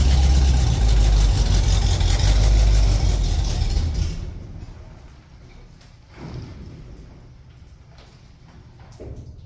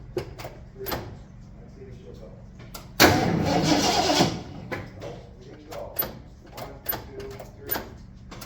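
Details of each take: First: 1974 Ford F-250 Camper Special farm truck, V8 started after a couple of years of storage: deep, even rumble about four beats a second for four seconds, then fades off; runs steadily. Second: 1974 Ford F-250 farm truck with a newly fitted battery: about a second of steady starter cranking with no firing; it cranks but won't start. Said to be tuned up, so a fuel supply problem is suspected; told to pump the pedal.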